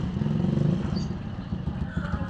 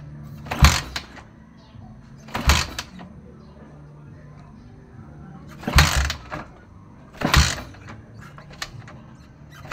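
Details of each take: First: Honda TMX155 motorcycle running after water was drained from the carburetor (it had spark but would not start after sitting): steady, even low putter at idle, now running normally. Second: Honda TMX155 with spark present and a new spark plug: four kick-starts churn briefly but never fire; water in the carburetor, found after checking the CDI.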